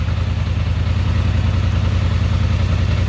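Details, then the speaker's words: 2021 Polaris Sportsman 850 EFI after loosening overly tight throttle linkage adjustment: even, steady idle with no rpm rise or dip as handlebars turn; correct adjustment, nothing wrong heard. "nothing that's what you want you want it no tighter than it needs to be and you should be able to turn the wheel and the rpm should not change"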